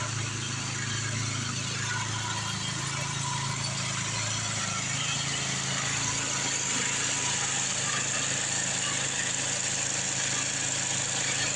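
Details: Craftsman 826 track drive snowblower after auger belt replacement (31-inch belt), refuelled, throwing snow; steady even engine drone with no slipping squeal or bogging; normal running under load.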